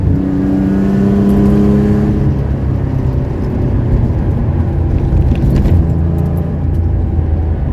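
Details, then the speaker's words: 1970 Porsche 911T flat-six with Zenith carbs on its road test: the engine pulls hard and revs climb cleanly through the gears with no misses, knocks or hesitation. Normal acceleration. "But that was a good reward. This thing rips, and I'm stoked."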